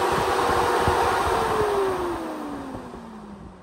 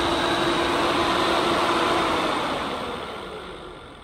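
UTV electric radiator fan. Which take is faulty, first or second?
second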